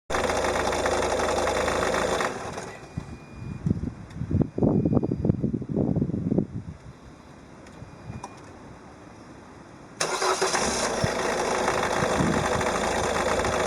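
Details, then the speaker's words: Peugeot 308 1.6 HDi 90hp diesel, 30 months old, 66,000 km: uneven light clatter, a few ticks per second, only at cold idle around 820–825 rpm; owner reports no more noise from about 880–900 rpm. Cause not pinned down. "Donc 825 tours minute claquement, 880 plus de claquement."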